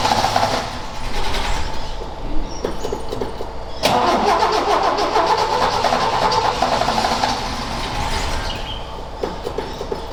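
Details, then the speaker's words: Ford XA Falcon long-parked, with hot coil fitted and suspect distributor cap: catches and runs briefly, then chops and stumbles unevenly and dies; float bowl was empty; fuel starvation. "I might have to Chang it out and see if that's in better but the flood B was empty"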